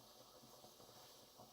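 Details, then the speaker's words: Stovetop pressure cooker at working pressure, indicator green, heat turned down to about 3.5–4: steady even steam hiss from the valve, normal operation. "and you can see that it's a nice hiss now this is normal for Steam to be coming out of there"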